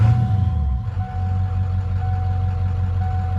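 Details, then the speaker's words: 1996 Ford F-250 7.3L diesel, warm, with a burned, stuck-closed glow plug relay. Steady, even low rumble at idle with no misses or knocks; smooth, healthy idle, and the alternator is charging better than before. "Yeah, it's looking okay. Well, that'll get me home."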